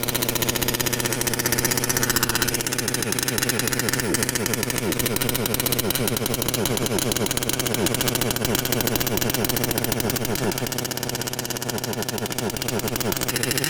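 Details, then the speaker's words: Losi LST XXL2 1/8 gas single-cylinder truck, first start: small engine buzzing unevenly, stumbling and cutting out as throttle opens; misfire under acceleration, suspected low receiver battery pack powering the CDI ignition. "Nope. Definitely smoky, but yeah, once we're accelerating, it shuts down. You could hear it. Kind of sounds like a misfire."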